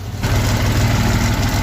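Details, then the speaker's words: Daihatsu Hijet 1000 petrol engine at idle, a light quick ticking over the low rumble, traced to valve clearance set too wide; fixed by adjusting the valves. "ternyata klep itu terlalu lebar settingannya terlalu lebar jadi ada suara ngelitik ketika mobil dihidupkan setelah kita amati kita dengarkan ternyata suaranya dari krap Lur"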